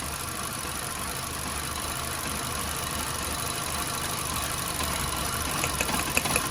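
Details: VW Golf at idle, with coil packs unplugged one at a time for diagnosis. This coil gives a faint, quick ticking over a steady idle and sounds healthy. Other coils sounded poor and are suspected to need replacing.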